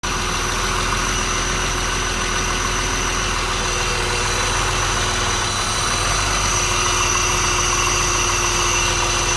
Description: Started with throttle body exposed . Seems to idle on now will wait for engine to warm up